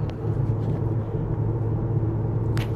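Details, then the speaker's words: 2011 Cadillac DTS driving after fixing squeal that followed new brakes and rotors: only steady road rumble while driving and braking, no squeal or rubbing; brakes quiet. "it was grilling when you put your foot on the brakes no squealing now so uh she sounds good"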